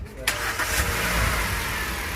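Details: Hyundai Grand i10 Kappa petrol engine with gas kit, after engine removal and rebuild for a tak-tak internal noise: catches on first crank and settles into a smooth, even idle with no knocking; sounds healthy.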